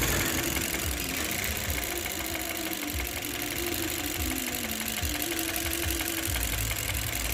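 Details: 2018 Chevrolet Cruze 1.4L turbo with codes P0300 and P0201 (cylinder 1 injector control circuit): the idle is rough and uneven with a stumbling, lopsided beat. Cylinder 1 misfires, and the injector is suspected faulty.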